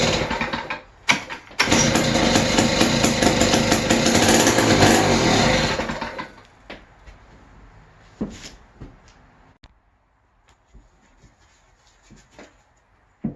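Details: West Bend 580 two-stroke engine, sat for months, new starter cup, dogs and recoil spring: pulls off the starter, buzzes a few seconds then fades and dies instead of idling; owner suspects dirty reed valves.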